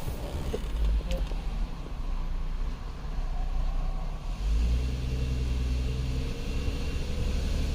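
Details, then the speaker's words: 2010 Chrysler Sebring 2.7L convertible after running an idle relearn: engine settles into a steady low hum with slight unevenness, running noticeably smoother than before. "huh feels way better that might have been our whole issue"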